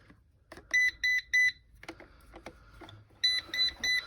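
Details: Eufy Robovac after replacing a weak side brush motor: on reassembly and power-up it emits two bursts of three sharp high beeps, about two seconds apart, and won't move; owner suspects he forgot to reconnect the motors.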